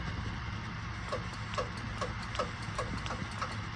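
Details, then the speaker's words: Kubota M62 tractor after replacing the third function power switch with an aftermarket one: switch on, sharp regular clicks about twice a second over a low diesel idle as the third function solenoid works properly. "Switch is on. Now you can hear that the third function selenoid is working."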